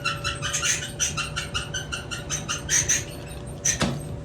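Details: Maytag Bravos dryer (MEDX500XW0) with a worn idler pulley: shrill, bird-like chirps squealing against the belt over the low drum rumble; fixed by replacing the belt pulley.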